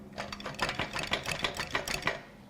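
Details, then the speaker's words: Failed 2019 Ford Ranger 2.3L EcoBoost engine, 104K miles, poorly maintained, out of scrap bin, turned slowly by hand: irregular sharp clicks and tinny rattles — broken pieces loose inside, with possible rust. "something's loose in there and that's not good"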